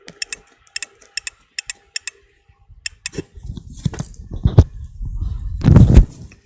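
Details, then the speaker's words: Electrolux iron thermostat contact, lifted by hand at the metal plate; a run of sharp, crisp clicks about twice a second, then handling rustle, disconnecting immediately: normal thermostat contact click. "If I lift this a little bit, it should disconnect immediately. As you can hear, it disconnects immediately."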